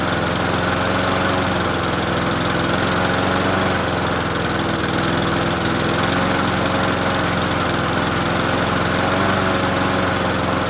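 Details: Troy-Bilt self-propelled mower with Honda GCV160 engine, free find, first start after adding fresh gas and opening fuel tap: starts within a few pulls and runs with a steady, even drone, no knocking or surging; normal running.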